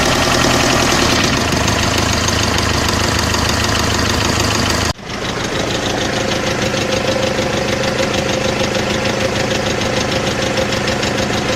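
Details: Mercedes OM601 2.3 diesel idling with a steady hard tapping over the clatter, roughly three evenly spaced knocks a second; engine knock, cause not pinned down.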